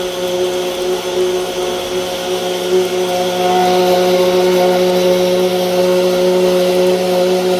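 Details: Small pump in a DIY 22-barrel rainwater irrigation system, running dry: a steady buzzing whine that grows louder and harsher partway through, with no water sound. The owner has run it dry for an hour before without overheating.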